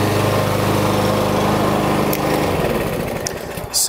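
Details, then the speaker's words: Yardworks lawnmower with a Briggs & Stratton engine, after repair with a replacement blade and bolt: runs smoothly and evenly, then winds down with no knocking or scraping; it had been kicking back with a weird noise; no sheared flywheel key. "that's all it was, guys. I'm glad it wasn't a sheared flywheel key or more internal damage to the engine."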